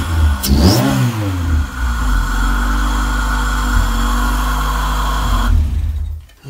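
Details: Honda Civic VTEC engine swapped into a Mini, first key turn, no radiator fitted: brief crank, catches, steady rev with firm low drone, then cut off. Normal engine start and rev.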